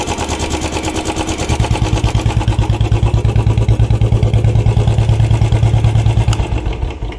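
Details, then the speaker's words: Used Royal Enfield Bullet Standard checked before buying, hand held over the silencer outlet to hear the engine: steady, even single-cylinder thump at idle with no tapping or knocking; normal idle, no abnormal engine noise. "अब कर देते हैं बंद आपने देखा कुछ अजीब सी अलग ही इंजन से नुमाइश नहीं आ रही इसमें कोई आवाज नहीं आ रही"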